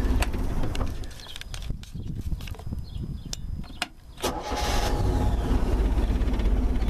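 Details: Engine warmed by only about 30 seconds of running, restarted with no throttle: a few scattered clicks, then it catches at once and settles into a steady, even idle. Normal warm start.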